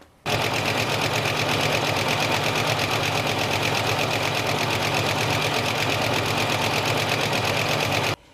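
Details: Another owner's engine before an engine treatment: fast, constant light ticking over the engine throughout, the kind of tap often blamed on a lifter; cause suspected, not confirmed.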